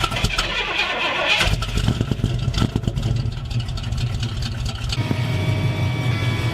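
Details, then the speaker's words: 1970 Pontiac Firebird Formula 350 V8 starting: uneven cranking with irregular clunks before it catches and revs, nearly dying. The cause of the odd noise is unknown. "that sound and I've got no [ __ ] idea what it is oh it's gonna die Oh rip if anybody knows what that sound is and let me know down below because I don't know"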